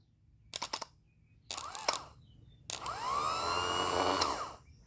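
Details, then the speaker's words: New replacement starter for the Kohler engine of a Troy-Bilt Super Bronco lawn tractor, bench-tested on a battery: short bursts, then a steady whirring spin that rises and winds down smoothly, with no grinding. "this this motor should run good"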